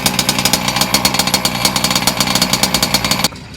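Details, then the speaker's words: Two-stroke motor set really rich, few hours in and thirstier on fuel: high buzzing note with fast, slightly uneven popping burble, then cuts off abruptly. "It seems to be thirstier. I have it really rich as well, so alright, let's fire the sucker up again."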